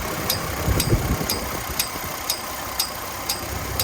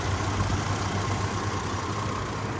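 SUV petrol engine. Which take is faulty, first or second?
first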